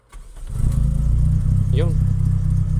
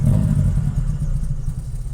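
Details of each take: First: 1992 Toyota Corolla 16-valve, which had been hard-starting and stalling when the accelerator was released, after spark plug service: cranks and catches quickly without throttle, then settles into a smooth, even idle that keeps running; starts fine. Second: 1992 Toyota Corolla 16-valve: hard starting, no idle; uneven lumpy rumble dies once the throttle is released even after pumping it; spark plugs checked first.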